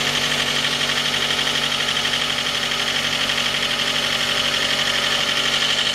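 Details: J20A engine (2010), cold idle: sharp, even metallic knock about four per second over the engine. Began at 10,000 km and worsened after oil changes; dealer checks were normal. Found a scored crankshaft journal on cylinder 3, blamed on non-recommended oil; short block replaced.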